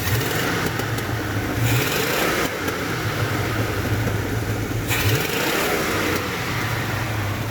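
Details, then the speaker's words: 1980 GMC truck V8 after a tune-up with a new MSD HEI distributor and retimed ignition, idle set to about 700 rpm: revs climb and fall cleanly with no stumble; healthy motor, far better than before. "Woo! That is a healthy motor. Oh yeah. Oh, that sounds so much better. That's a million times better."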